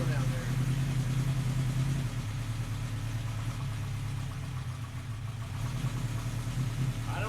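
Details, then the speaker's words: 1980 Honda CB900 motorcycle idling on a little choke just after a new petcock was installed, in a closed garage; low steady even burble, clean start and idle, no leaks seen: normal idle. "don't get tired of that sound. Nice."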